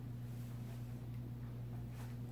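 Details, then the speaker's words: Vintage Supreme Mk. I 52" spinner ceiling fan (Taiwan, stamped vented motor, 3-speed knob) running healthy on medium: soft even low hum with steady air wash, barely any motor hum, bearings silent, no ticking. "it is very quiet though like I could it barely has any motor hum"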